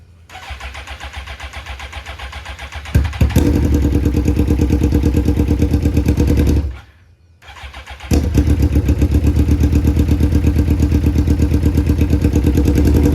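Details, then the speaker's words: Suzuki GSXR-1000 rebuild after sitting: engine fires, stumbles with an uneven lumpy beat and dies briefly before restarting, sounding like it runs on one or two cylinders; misfire, owner suspects clogged injectors. "It sounds like it's running on a cylinder or two. U barely running."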